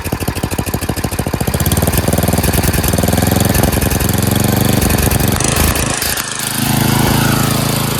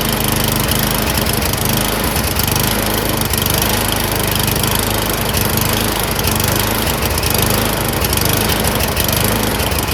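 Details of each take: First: Craftsman 928 dual-stage snowblower, 9 hp Tecumseh engine, after carburetor cleaning (jets cleared) and a quarter-turn governor/idle adjustment for surging: winds up to full throttle and holds a steady, even beat with no rise and fall; steady full-throttle running, no surging. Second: Snowblower small engine surging, speed rising and falling about once a second while hunting for revs; cause suspected, not confirmed.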